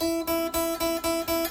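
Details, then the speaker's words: Kit guitar with a locking nut, after the back edge of the string slot was filed a second time to cure nut buzz: open high string plucked about four times a second rings clear like a bell, no buzz. "Rings like a bell. Problem solved."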